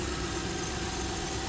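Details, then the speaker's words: 2009 Lexus GX470 idling with hood open, AC and heater off so compressor not engaged: a thin, high, continuous squeal holds steady over a quiet idle; squeal from the engine bay, source unknown. "So, the compressor is off cuz I don't have the AC or the heater on and it's making that squeaking sound."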